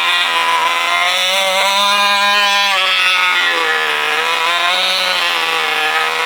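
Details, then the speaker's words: 1980 Cox Babe Bee model-airplane glow engine, run again after 46 years: a high, buzzy whine at a steady pitch with small speed wavers, running cleanly and evenly. "Hadi bakalım bir daha çalıştıralım. Bakın burada ne güzel bir çalışma oluyor. Harika. Bakın. Mükemmel. İşte bu."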